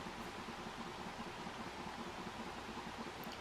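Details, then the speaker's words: Acer Aspire V17 Nitro Black Edition VN792 laptop at low fan speed, phone placed directly on the laptop: soft fan hiss with a buzzing hum peaking just under 500 Hz, a vibration from the fan or a nearby part, quieter briefly when palmrest pressed. "this is the buzzing or humming noise coming from the fan or caused by it"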